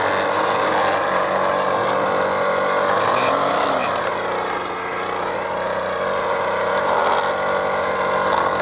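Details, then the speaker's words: Ryobi full-crank 2-cycle Expand-It 2-string gas trimmer, new, test run after unboxing and assembly: steady high buzz at even speed with only a brief dip; smooth, clean two-stroke running, normal. "Thank you for joining me on this unboxing, assembly, and test run of the Ryobi full crank 2-cycle expanded 2-string gas trimmer."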